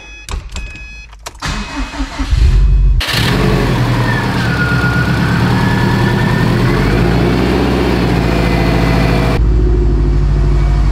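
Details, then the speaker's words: Freshly rebuilt Subaru STI turbo engine, filled with water instead of coolant, first real run: cranks, catches at about three seconds and settles into a smooth, even run with a few light revs; reached operating temperature fine, sounds healthy. "man oh man that is a good feeling she got up to operating temp just fine we did a few revs that's how i like to break it in a little bit"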